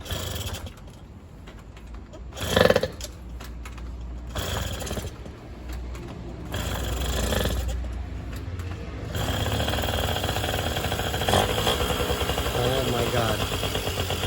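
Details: Used Yamaha 50cc, first test run after a friend fixed the carburetor, which had stalled unless choked: several kicks and sputters, then it catches and holds a steady buzzing fast idle on choke without dying.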